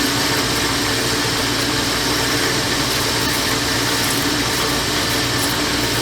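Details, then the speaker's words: Lathe parting-off cut at 440 RPM, near 100 surface feet per minute, spring cut-off tool with light oil drip, under load: even hissing cut with steady spindle drone, no squeal or chatter; normal parting-off. "No screeching. Sometimes when the surface speed's a little fast on the outside, you'll hear a screech for a minute. Once the tool's under load, it goes away."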